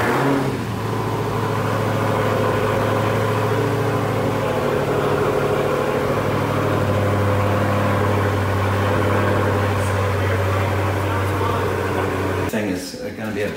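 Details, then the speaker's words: Rebuilt Hellcat started after refitting the plugs and filling the oil: loud uneven idle with a loose rattling patter like marbles. Knock or misfire; owner suspects a coil pack, but it could be nothing; cause unconfirmed. "I don't think there's a big problem it could be a coil pack it could be a misfire from that and it could be nothing you know I've had a few cars that sound like marbles popping around"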